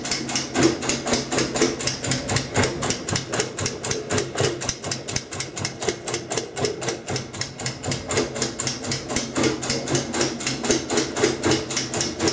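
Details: Kenmore 90 Series washer, model 110.26902691, in the rinse cycle: sharp, regular clicks about four a second while room lights blink. Washing is fine, no loose parts found inside, persists with no load; cause unknown.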